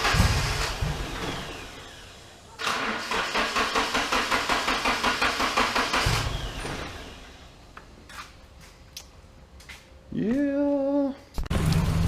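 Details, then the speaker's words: Nissan S13 with turbocharged KA24DE (T3 turbo, 370cc side-feed injectors, SAFC 2, stock MAF) on first start after setup; needs throttle to start, then idle hunts, sags and surges roughly, owner suspects timing or a vacuum leak. "it starts doesn't sound the greatest because something is either timing or I got a vacuum leak"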